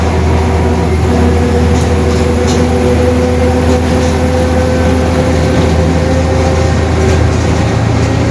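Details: 2021 Marcopolo Torino S bus on Mercedes-Benz OF-1721 BlueTec 5 chassis, onboard while driving: constant low drone with steady mid-pitched hum on top; growling rear differential.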